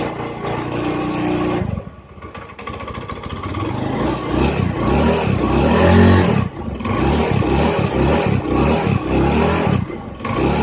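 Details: Honda Beat single-cylinder scooter engine after total teardown and rebuild for rough noise, hard starting and oil burning: revs up and settles back, firing evenly with no knock or rattle; sounds healthy.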